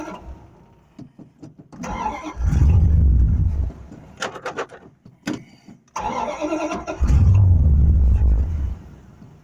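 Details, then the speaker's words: 1974 Plymouth Duster 318 four-barrel V8 after sitting all winter, new Optima battery fitted, fuel poured into the float bowls: two crank attempts, the second catches into a deep, lumpy V8 rumble that settles; normal cold start. "so we got a battery in it we got fuel right into the float bowls and down them stems we're gonna see if we can start the uh the old car oh yeah"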